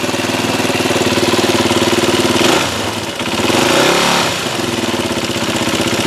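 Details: Yamaha WR250R single-cylinder with 26,000 km, swamped in spring (exhaust drained, airbox not) and starting to use oil; idling with a light metallic rattle over the beat, dipping with a blip; suspected top-end rattle, top end being torn down, cause unconfirmed.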